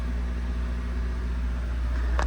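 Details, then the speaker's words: Honda Del Sol after fixing slow-to-prime fuel pump: fired right up with clutch in, idling good; even, steady low idle with smooth rhythm, no misses, knocks or hunting. Normal idle. "Beautiful. She fired right up as expected. Idling good."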